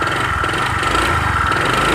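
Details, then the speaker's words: Honda Vario 125 scooter at idle with the CVT fully removed: fast dull internal knock under the exhaust note that persists; connecting rod (stang seher) suspected, not confirmed. "oke ya. Itu suaranya kayak gitu. Dan itu saya curiga ke stang sehernya."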